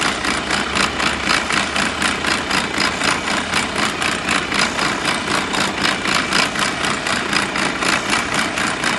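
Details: Mercedes-Benz Arocs truck, heavy diesel at idle: an even pulsing clatter at about four beats a second rides over the engine; abnormal noise from the gearbox.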